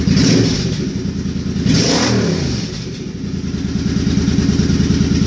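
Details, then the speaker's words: Suzuki Boulevard C50 V-twin after a new fuel injector and Cobra FI2000 fuel controller install: blips up and settles back with an even, clean exhaust beat, no stumble or popping; controller lights change with rev range, running fine. "it sounds to me like it's running fine oh there's yeah the green lights on"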